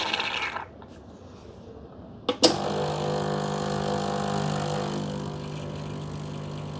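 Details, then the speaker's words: Gemilai 3006Z espresso machine, vibratory pump running against a blind disc in the group, preset pressure around 12 bar: a click, then a steady even buzzing hum holding pitch as pressure builds; normal pump pressure. "Right. Yes, the machine is set at around 12 bars of pressure. So, that is the preset uh pressure on the machines."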